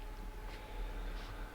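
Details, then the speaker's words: Bus-converted motorhome hot-water heating system, inside around 16 °C: steady fixed-pitch electric buzz over low rumble from heater pump; quieter overall than air heater; noisy heater pump. "in principle, the noise from this heating system is much less than from an air dryer We need to think something else with the pumps there, the pump of the hair dryer itself is buzzing a"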